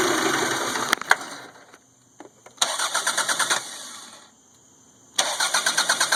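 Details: 1992 Toyota Camry 4-cylinder with a rebuilt engine (new rings, gaskets, distributor, cap and rotor; 200 psi compression) cranks in three bursts without catching; runs great when it runs, then misfires increasingly and dies, harder when hot; hard start.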